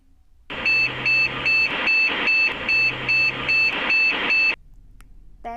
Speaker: short bits the problem with this is the cmos shutdown register framed right error this is usually caused by a hardware issue with the only biased chip